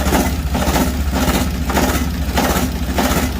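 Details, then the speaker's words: Ditch Witch 3700DD trencher, air-cooled diesel, previously very hard to start, fresh oil in, started at quarter throttle: started right up with a steady diesel clatter and even slow pulse, no misses or stutter, running cleanly. "So here we go. Quarter throttle. Come on, baby. Wow."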